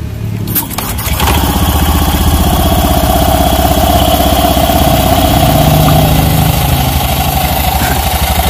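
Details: Honda Beat FI scooter with CVT: engine catches after a second and settles into an even, steady idle with no knocking or belt-drive rattle; engine sounds healthy, though the CVT is still described as very rough.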